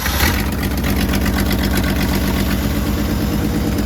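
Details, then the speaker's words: 1963 Ford Falcon, original roughly 60-year-old engine, needs a starter, choked: old engine settles into steady even idle, hardly any ticking from the top end, runs smooth. Normal idle. "Listen to that. It doesn't even hardly click or anything. It even sounds good for being a 60-year-old engine."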